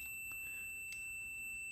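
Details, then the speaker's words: Zenith 5S119 antique radio variable tuning condenser tested with continuity tester: steady high tone means rotor and stator plates are shorted, caused by bent vanes. "okay we're in our hour tone mode okay if I go to the other side here okay open so we don't know how to do not have it short come over here we have a short"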